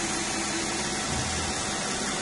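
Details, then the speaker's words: 2005 Nissan Maxima after repair and clearing fault codes: steady, even idle hum with no stumble or miss; engine healthy, ready for delivery. "ya manejamos un nissan vamos a proceder a entregarlo ya no tienen ningún problema esta lista"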